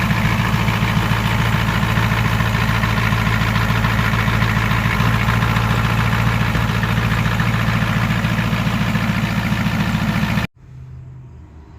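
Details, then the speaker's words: 7.3L IDI diesel after valve cover gaskets and fuel return lines were replaced, air cleaner off; steady fast clatter around 1500 rpm, then shut off abruptly. Abnormal high idle, and owner feared a runaway. "i had that off because i first started it and it went to like 1500 rpm which is not normal so i thought it might run away or have a chance of running away"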